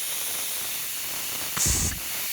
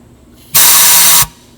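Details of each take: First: Allis Chalmers 190XT Power Director hi-low clutch pack, air applied by rubber-tipped hose at the control valve. Tractor has high range but no low range despite a new Power Director. Short sharp air hisses cut off cleanly with no steady leak; clutch closes and holds pressure. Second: Allis Chalmers 190XT Power Director, air applied to the low-range clutch pack with the cover off: a sharp hiss lasting under a second that rushes straight through; clutch pack not sealing, air also exits the high side, owner suspects the shaft sealing rings.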